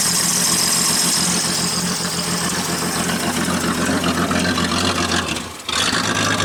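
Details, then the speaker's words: 1977 AMC AMX Hornet at first start after sitting, carburetor fed from a jug and flooding: a loud, raspy idle with a harsh hiss over a rough, uneven beat and one brief dip; sounds like the muffler is missing. "Sounds like the muffler's missing."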